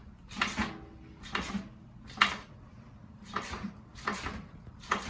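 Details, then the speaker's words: RockShox Recon air fork on a mountain bike, under 500 miles, clicking or knocking when compressed all the way down: six sharp knocks about one per second at full compression, fixable with a service. "you can hear that knocking sound okay when it goes down it can press all the way"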